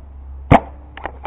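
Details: BL MVP pump paintball marker fired with the pump handle held lightly forward: a single sharp pop followed by a trailing low sputter and small air puffs; it farts when the hold is too loose and stops when held just right.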